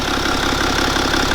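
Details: BMW N57 diesel first start after timing chain and main bearing replacement, running a few minutes, no leaks: even diesel clatter at idle, steady rhythm, no knocks or misses; healthy normal idle.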